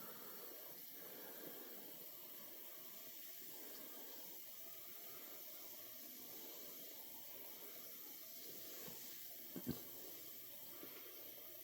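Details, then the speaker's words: Frigidaire dishwasher (made by Electrolux) that wouldn't start with a flashing start light and no error code, now running: soft even hiss of water filling over a quiet steady wash motor, no clunks; normal fill and wash. "so you hear the wash monor going the unit starts to wash um yeah sounds sounds pretty good"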